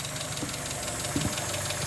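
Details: NA Mazda Miata after setting ignition timing to 10 degrees: quiet, steady four-cylinder idle with a soft even patter and no misfires or knocks.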